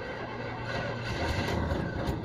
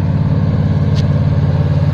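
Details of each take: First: Carbureted engine cranking after STP engine treatment poured into the carburetor and soaking about 20 minutes: uneven cranking stumbles and fades, then catches; flooded engine hard to start, expected heavy smoke. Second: Carbureted engine after STP engine treatment: steady, even drone at high idle about 1,800 rpm after revving to 3,200, run until the exhaust smoke clears; normal high idle, no misses or knocks.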